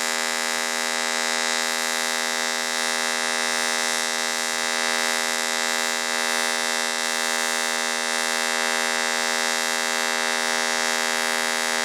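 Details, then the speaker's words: Fronius TransSteel 2200 in TIG mode with pulse frequency raised to 80: steady, even high-pitched buzz with a fast pulsing edge and no sputter, a clean pulsed arc. "so as you can hear it's definitely running a lot different and that's because of the pulses"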